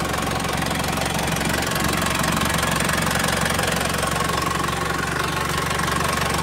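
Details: Isuzu Panther 4JA1 turbo diesel after relining with Toyota Hilux liners, checked for remaining leaks (blow-by): even diesel clatter at a steady idle of about four beats per second, no misses or hunting; healthy idle.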